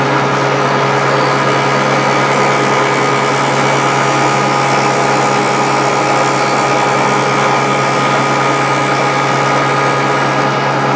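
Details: Grizzly G0458 drum sander running after being repaired from a breakdown; steady, even motor hum with constant whine and sanding-drum rush, no knocks or rubbing. Normal running.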